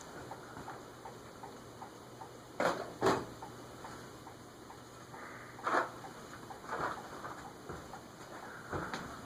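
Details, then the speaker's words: Light, fairly regular ticking knock with occasional louder clunks over fan hum from a vintage TAT/Wing Tat Mistral ceiling fan on bench test at high speed; knocking absent when tested without the glass, but glass ruled out, cause unknown. "something is knocking too the rest of the way to high6 it's just under the radi current draw wonder what's knocking it wasn't making that sound when I tested it without the glass on it it's not the glass I'll have to figure that out"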